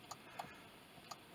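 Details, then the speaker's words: Honda FR-V BE1 1.7 D17A2: with left indicator selected, quiet tick-tock relay clicking about once a second but no lamp flash. The fault is not the stalk but the integrated control unit (ICU) behind the fuse board; the fix is to replace the module. "I go left, all works right, left, nothing, but you can hear it clicking,"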